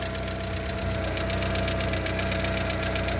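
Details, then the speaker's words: Lada Largus with the 1.6 16-valve 129 engine (Priora/Vesta type), knock remaining after hydraulic lifter replacement: cold idle with a fast, steady top-end ticking knock about four per second, quieting after about 3 minutes and gone when warm. A torn exhaust corrugation adds noise. "Примерно прошло 3 минуты. Все тише, тише. Это еще двигатель громко работает из-за того, что гофра порванная."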